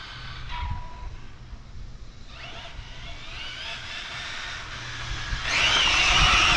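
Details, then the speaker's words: Arrma Infraction 6S BLX RC car, mostly stock with inner fenders added, during neighborhood bashing: short steady electronic beep over motor whine as the ESC gives its first temperature warning (owner unsure if temperature or battery). "Oh, and that was our first temperature warning. Was it temperature or battery? I think this thing would be beeping at me."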